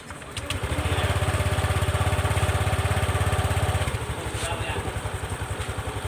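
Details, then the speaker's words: Honda Click 125i scooter after replacing the clutch bell, slide pulley bearing, rollers, belt and shock: engine thrums evenly with the rear wheel spinning, now quiet with no grinding or rattle. "ลองหมุนล้อดูนะครับเหมือนเมื่อเช้าอีกแล้วนะครับอ่ะเรามาลองเงียบแล้วอ่ะ"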